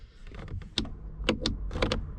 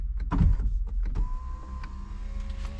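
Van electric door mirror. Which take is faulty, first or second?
first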